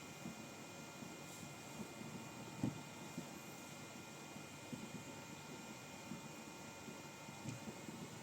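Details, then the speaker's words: 28BYJ-48 stepper on 6.3 V driving a gear train under mechanical load, around 750 speed setting: faint steady high whine with no gear slipping, skipping or stalling; normal running under load (it stalls near 800–850). "$750 now, still. I don't hear any gears slipping. Quite good so far."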